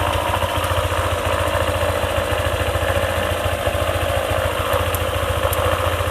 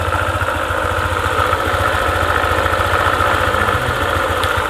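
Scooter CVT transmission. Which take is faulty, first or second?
second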